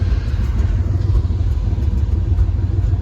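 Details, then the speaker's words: 1994 Chevy K1500 after replacing coolant temperature sensor, restarted after sitting about an hour, timing not yet set: deep steady low rumble, even beat, no stumbling or misfire; idling smoothly and healthy. "I'm going to see if does start right up again. That's it. She runs. Perfect. Look at that."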